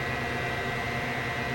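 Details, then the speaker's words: Tektronix 547 oscilloscope cooling fan after cleaning the blades and reinstalling: steady, even airy whir with no ticking, scraping or wobble, coming up to speed quickly and moving air properly. "So let's see what it does with the blade installed. And looks like it's coming up quickly."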